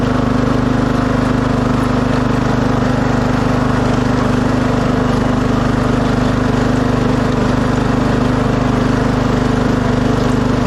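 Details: 2006 Craftsman LT3000 after oil change, new idler and charged battery, driving and hill testing; smooth even single-cylinder beat at steady speed, no knocks, rattles or surging; early noise blamed on cold hydro transmission.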